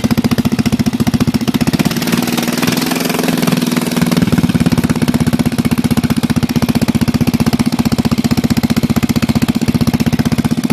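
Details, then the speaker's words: Bolens single-cylinder lawn tractor, sat about 1.5 years, muffler temporarily removed, fuel line reconnected: sharp, loud popping at steady idle with open exhaust bark. It then stops because the fuel was shut off and the bowl emptied. "well we got the muffler off so might as well fire it up and see how shitty it sounds with it why it's off temporarily"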